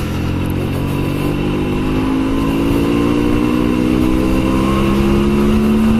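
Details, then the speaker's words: Honda Shadow 125 after two years standing unused, first ride after the owner's adjustments: strong, even engine note climbing smoothly in pitch under acceleration with no misses, knocks or rattles, running well. "Oh bah elle tourne bien, dis donc. Oh bah dis donc. Wouhou."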